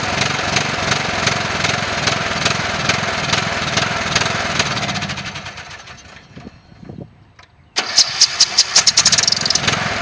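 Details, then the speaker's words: Briggs & Stratton riding cemetery mower after compression release work and muffler sealing: runs strong and even, winds down to a stop, then cranks briefly and fires straight back to a smooth steady run. "I've started it a few times to make sure it would run all right and it works"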